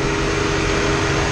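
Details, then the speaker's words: Ford Transit 3500 van after cooling fan assembly replacement (previously the high fan ran only at low speed and the low fan never came on): strong, steady whoosh with both fans at full speed, no rubbing or rattle. Normal operation. "now we got both bands running full blast like they're supposed to all right so now both fans are working"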